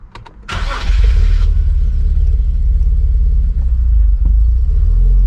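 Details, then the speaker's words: Car after E85 conversion with bigger fuel injectors, restarted after stalling: catches quickly, then uneven, lumpy low rumble that wavers; running rough, owner says definitely not good yet. "All right, it's definitely not good yet, but I wonder if I could start it again."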